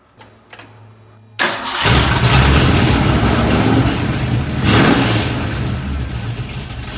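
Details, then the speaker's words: 1986 Ford F150, freshly rebuilt 1996 Explorer 5.0L roller V8 with GT40P heads, E-303 cam, long tube headers, Edelbrock carb, HEI: cranks, catches quickly, strong even run with clean rev blip; running great after build. "it's running great and better than ever motor sounds good runs good it's quick"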